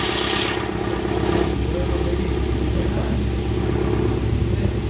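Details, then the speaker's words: 2012 Mahindra Scorpio VLX diesel after cylinder head repair for bent valves and broken rockers on cylinders 1 and 4 (misfire, white smoke, vibration, poor pickup): even, steady idle with firm clatter, no misses or vibration. "फिलहाल देखिए गाड़ी एकदम normal सा चल रहा है vibration वगैरह कुछ भी नहीं है एकदम आराम आराम से चल रहा है"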